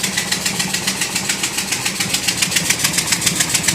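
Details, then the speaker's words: Ford 5.4 Triton at idle: sharp, even tick about 214 per minute, like an exhaust leak at one cylinder. Exhaust was found leaking near the manifold and the manifold gasket was replaced, but the tick sounds exactly as before. "this noise started suddenly we got for all the world it was an exhaust leak at one cylinder"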